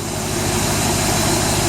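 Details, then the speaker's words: 1995 BMW E38 740i M60B40 V8 at first start after timing chain tensioner replacement, tensioner not pre-primed with oil: initially loud as the tensioner fills with oil, then a smooth, steady idle with no knocks or misses; normal idle. "that sounds like the tensioner filling up with oil and we're good"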